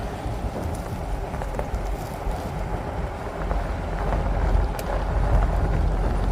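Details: Pickup truck (owner compares to Ford/RAM) with camera mounted at the rear, slow roundabout circle: low steady road and drivetrain rumble, no squeak or groan from the rear springs; the earlier rear noise is gone or much reduced, inaudible from the cab.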